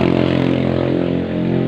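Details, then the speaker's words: Honda Beat FI scooter engine idling with a harsh, rattly roughness over its steady hum; still noisy and very rough during repair while the engine is being propped up with a wedge. "masih ada suara berisik lagi itu kan suaranya kasar bener ya"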